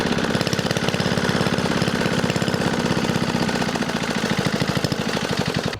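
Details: Single-cylinder diesel engine after repair of fuel leaking into the engine oil, fixed with thread at the fuel key: steady even thumping at constant speed, no misses or knocks; normal running.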